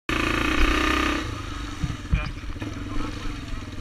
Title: RMB misfiring